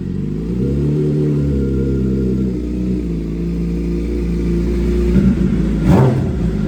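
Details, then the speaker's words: 2007 Suzuki GSX-R 750 (K7) after fixing the cam chain tensioner that caused a loud rattle. Steady, even idle with a smooth low hum and no rattle or tapping from the cam chain side; the engine sounds healthy. "Not hearing like a loud rattle like last time. So I think let's let it run a little bit and see if it starts making a sound."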